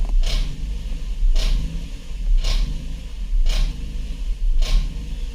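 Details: 2014 Ford Edge 3.5L with generator code, battery voltage reading 15.6–17 V, dash and cluster lights flashing: idle rises and falls about once a second, hunting as if about to stall; idle surge, and the car then stalls.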